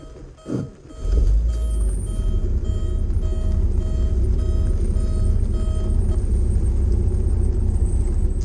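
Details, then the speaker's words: 1995 Porsche 968 at auction, cold start: cranks and catches, then a thin high squeal rides over the rough cold idle; source of the squeal unknown. "well it started kind of squealy squealy good or bad so that was a cold start"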